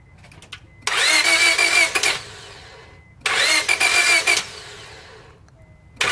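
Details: Honda: three roughly one-second cranking bursts, starter whirring evenly, no firing stroke at all; crank no start.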